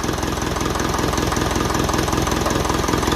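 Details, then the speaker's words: 1955 Ferguson 20 TEF diesel tractor after fuel system rebuild and bleeding; steady, even idle clatter about two and a half beats a second with no hesitation, misfire, rattles or vibrations; well bled and healthy. "And it's definitely well bled because there hasn't been any hesitancy at all. Misfire and that. Lovely. And there's no rattles or vibrations or that, and I'm very happy with it."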